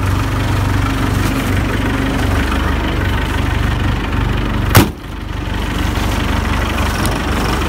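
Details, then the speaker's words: 4BT P-pump diesel in a Scout, started at 1°F after its grid heaters were held on about 15 seconds. It fired right up with little smoke and settles into a steady, even low clatter with no misses or knocks; normal cold-start idle. "Not too much smoke. Let it warm up a minute, but that's it. Grid heaters are awesome. 1 degree, fired right up."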